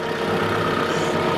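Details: 2013 Mitsubishi Grandis GLS 2.4, bonnet open: short stretch of quiet, even idle with a steady low hum and no knocks or ticks; normal idle.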